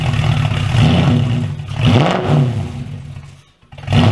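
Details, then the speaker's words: Porsche Cayman fitted with an Audi V8 swap, running: surging up and down every second or so, uneven and lumpy with near-stall dips and misfire; rough hunting idle, owner suspects a vacuum system problem. "I think there's something on the vacuum system that's causing me a bit of a hunting problem there was definitely some misfire in there"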